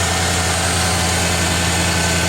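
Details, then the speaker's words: 1987 Bronco V8, first run after engine install; the exhaust was a little smoky from oil burning off but cleared right up; deep, smooth, steady idle with no ticking, knocking or hunting. "Exhaust is a little smoky. Still some stuff kind of burning off. The exhaust cleared right up. Sounds nice."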